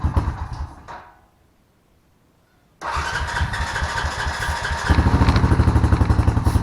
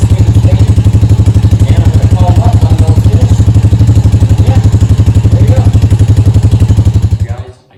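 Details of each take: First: Honda Rancher ATV after sitting with old gas, carburetor cleaned and fresh gas added: engine catches and idles with an uneven lumpy beat, still shutting off occasionally; partly clogged pilot jet causing lean stumbling. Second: Honda Rancher quad that sat with old gas and would not start, after carburetor cleaning: deep, even thumping about four beats a second holding steady until shutoff; normal idle.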